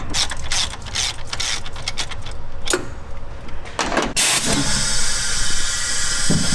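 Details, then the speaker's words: Engine leak-down test after sitting, barely run: after some clattering, steady hiss of air into the oil pan on that cylinder; cylinder walls/rings look worn, or rings possibly not yet expanded from sitting. "so it looks like the cylinder walls slash rings are a little wore out"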